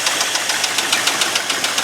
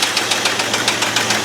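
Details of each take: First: Abandoned 1989 Ford F250 5.8L V8, after fixing the battery and fuel injector wires: loud, quick, even ticking pulses over a raspy exhaust, steady throughout. Now runs like a normal engine, though loud. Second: Abandoned 1989 Ford F250 5.8L V8 started on a new battery after fuel injector wire repair, never revved: sharp, regular knocks about seven a second over a steady idle, quieter than last time; a loud internal knock, cause not confirmed.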